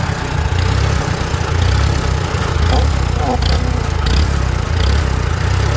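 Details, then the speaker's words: Antique Farmall tractor with new Chinese carburetor, mixture screw one full turn out, choke: low chugging idle that surges and pulses irregularly; owner suspects air leak, lean fuel or poor carb. "it'll start either sucking air or not getting enough fuel or i don't know maybe the chinese carb ain't that good"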